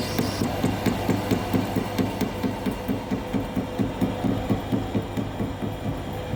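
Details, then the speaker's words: Lathe machining seized piston off a bucket cylinder rod from a Komatsu PC1250 120-tonne mining excavator, rod in 4-jaw chuck with steady rest: high regular hammering chatter about twice a second, once per turn, as the insert hits a heat-damaged hard spot, wearing inserts out. "No laila, ʻo ke kani kani kiʻekiʻe āu e lohe ai, he hōʻailona ia he paʻakikī loa kēlā mea. Me he mea lā aia he wahi wela ma laila."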